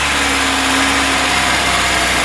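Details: VAZ 21099 at 185,000 km, brought in for rough running, knocking and oil consumption, after reassembly with new spark plugs and cylinder head torqued: steady, even idle with constant hum and no missing beats, knocks or stumbles; normal idle.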